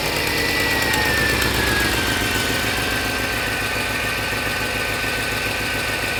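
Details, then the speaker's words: Mercedes CLS55 (M113K) with long-tube headers: sharp ticking at about 3.5 per second over a rough idle, crisp and puffy, from the passenger-side exhaust; the cheap kit manifold gaskets blew apart; fix is factory gaskets. "what we could see is it's coming from the exhaust it's coming from the pasture side and what it is is the gaskets are blown apart"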